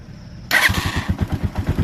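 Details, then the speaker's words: Motorcycle, push-button start: brief starter whirr, then the engine catches at once and settles into an even thumping idle about ten beats a second; quick start, no problem. "Ayan, so quick start naman siya, no? Walang problema."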